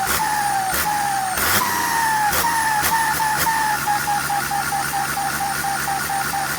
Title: hx302 Sound show Pente na Turbina,cantando turbina,hissing sound in turbo.